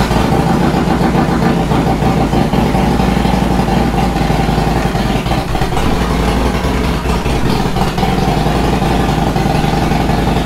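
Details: Harley-Davidson Dyna after installing a high-flow fuel pump and new filter to cure a high-pitched noise near the tank: loud, steady V-twin potato-potato idle that holds without dying or surging; fuel delivery sounds healthy.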